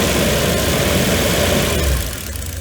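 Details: Mercedes W463 G500 with P0444 purge valve code, no check engine light; lumpy uneven low throb and shaking at idle that eases near the end; vacuum leaks checked, suspects electronic throttle body or a signal to it, not confirmed.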